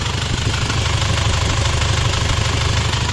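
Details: Isuzu Panther double-cabin diesel idling after overhaul, after replacing the leaking copper injector nozzle ring that had caused a hissing "ces ces" sound; steady light even clatter, firm low throb, no hissing or misses, healthy.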